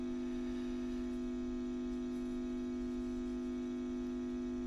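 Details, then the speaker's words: WEM Westminster MK9 10-watt push-pull valve guitar amp, ECL82 outputs, Fane 12-inch speaker, at full voltage during restoration: steady low ringing tone under faint hiss from a microphonic Mullard preamp valve. "so you can see very noisy Mr mullard here this preamp tube I didn't um is microphonic"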